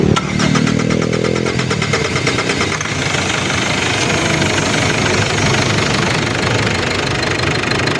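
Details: Ford Everest diesel after injector testing and reinstallation for fuel knocking and grey smoke: engine cranks, catches and settles into an even steady idle with no knock; knocking now normal. Normal diesel idle.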